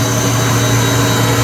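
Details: Citizen L20 CNC Swiss lathe rotary guide bushing running at 7,000 rpm spindle speed, with a brand new spindle drive: very quiet, steady hum with low tones and faint high whine, no knocking or grinding; normal running.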